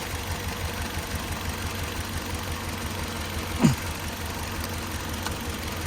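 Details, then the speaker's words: Toyota van, 2.7 VVT-i petrol with factory CNG, stumbling on both gas and petrol: at idle, pulling this ignition coil's plug brings only a brief click and no change in the faint stumble, so this coil is dead. "นี่เลยครับตัวนี้เลยขอไอ้ตัวนี้เสียครับ100%นะครับไม่มีปฏิกิริยาเลยนะครับเวลาดึงดึงปลั๊กคอยออกมาเสียบเข้าไปนะครับก็จะเหมือนเดิมนะครับ"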